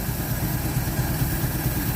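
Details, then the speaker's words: 1948 Chevy Stylemaster inline-six with three-on-the-tree, off the road since 1968, on very old gas with no choke after a carburetor swap (old carb dumped fuel): even, steady low chuff at idle, four or five pulses a second, no misses; normal idle, idling even better. "oh Todd you hear that it picked up it's idling even better"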